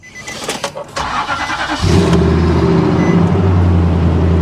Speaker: Sounds pretty. How often do you hear a Nissan sound like that? Not often.